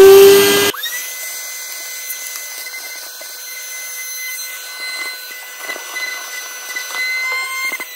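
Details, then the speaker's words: Salvaged vacuum cleaner recovered from a dump, run from a portable power station; steady high motor whine with several fixed tones after start-up; noisy but working, cause unknown. "Il avait été mis à la déchetterie et puis il fait du bruit, c'est vrai, mais pour l'instant il marche."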